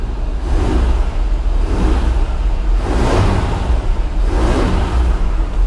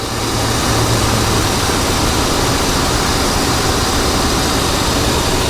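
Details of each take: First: 1985 GMC C1500 Sierra V8, not started in a long time, cold start after pumping the gas: deep, fast, steady rumble with a slow surge every second or so; high idle, drops when the gas is tapped once warm. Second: 1985 GMC C1500 Sierra V8, air cleaner off, power steering pump seal recently replaced: steady, even idle with a smooth low drone and no knocks or squeals; normal idle.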